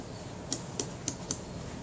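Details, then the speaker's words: Kodak Retina IIIS camera during servicing, shutter reassembled: shutter speed ring turned through four crisp, evenly spaced detent clicks in about a second; click stops sound clean and positive, working nicely. "check that the shutter speed click stops Works nicely"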